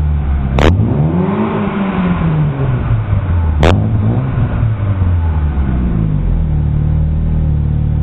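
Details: Chevrolet Aveo with a fart-can aftermarket muffler and an exhaust leak: deep, raspy drone swelling and falling through two revs, with a breathy puffing edge from the leak.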